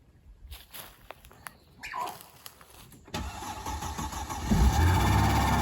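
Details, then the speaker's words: 2005 Mercedes-Benz E320 wagon first start after sitting a long time, with battery power added: short crank, catches near three seconds, runs low and slightly uneven; later shut off and would not restart. "but after a little bit of time and a little bit of power this car started right up"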